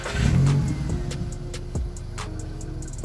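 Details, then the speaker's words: MK5 Golf 1.6 FSI after replacing the faulty coolant temperature sensor that kept fans running constantly, aircon off, battery reconnected; low, even idle with a few light clicks, no fan roar; normal idle. "So far, so good. You know, I think we might have done it. We might have done it."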